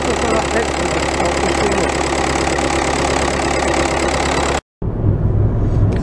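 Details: VW Golf 1.9 TDI Pumpe-Düse, around 2007, after injector Viton seal replacement for crank-no-start: even steady diesel clatter at idle, briefly interrupted, no misses, stumbles or knocks; problem appears solved.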